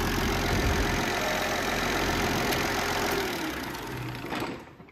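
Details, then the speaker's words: Massey Ferguson 1250 tractor, first start after work: steady, clattery diesel idle with an even beat, then shuts down; runs fine, with minor fuel and oil leaks noted at fittings. "Sounds all right. Runs all right. Can't see any drips."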